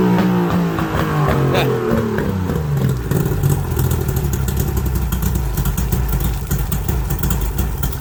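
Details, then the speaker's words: Mercury two-stroke outboard on water muffs after new fuel-water separator and new plugs, on high idle choke: fast idle firing a bit unevenly, some hunting before settling; idle speed wants adjusting. "H might need to adjust the uh idle"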